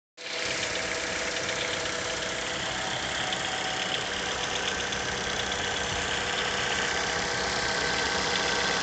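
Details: Mazda 6 GH 2.0 L engine, cold idle at 800-1000 rpm after long standing: fast, fairly even tapping about four times a second over engine hum; knock vanishes once coolant temperature starts rising; cause unknown.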